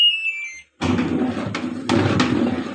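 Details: LG Intello Wash 6.0 kg WF-T7066MN washer: short, clean high beep as the panel powers up, then some clatter and handling; controls responding normally.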